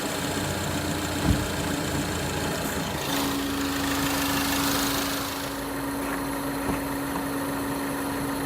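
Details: 2013 Ford Focus ST: clear, steady high-pitched whine over the idle from the lower left side of the engine, said to rise with rpm; an idler bearing or valve train noise is suspected.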